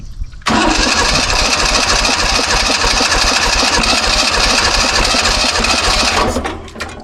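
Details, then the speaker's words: 1970s Kubota L1500 two-cylinder diesel tractor, sat about 20 years: starter cranks about six seconds with uneven chuff and no catch; won't start, fuel shooting back out the line, owner suspects low compression. "It wants to go, but this this fuel line stopping it. It's wanting to shoot the fuel back out. It's probably just really low in compression."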